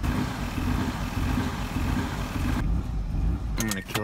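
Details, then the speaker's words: 2006 Mazda 6 after a throttle body and accelerator pedal replacement and repairs to a busted throttle body pigtail harness. The engine catches and settles into an uneven, lumpy, stumbling idle that never smooths out; the cause is unconfirmed. "that's it that's that that's what I got it's not running right but it's consistently not running right"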